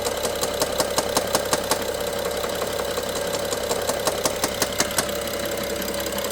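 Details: BMW F07 N55 at idle: loud regular ticking knock about three a second up top, loudest by cylinder 1 injector and mid servo connector, worse with throttle, pauses 3 seconds; timing chain looks OK, cause unconfirmed.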